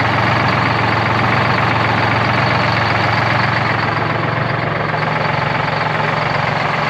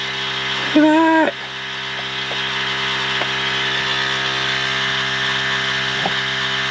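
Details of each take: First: 1973 Peterbilt 352, 12V71 Detroit two-stroke diesel, warming after first start since 1984: loud lumpy uneven idle, banks badly unbalanced, one bank's cylinders hot and other cold, one bank doing the work; rack adjustment planned. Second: 1973 Peterbilt 352 cabover with a 12V71 Detroit Diesel, first run since 1984, warming up: steady, even drone with no knocks or misses and a brief tonal blip early on; smooth normal idle.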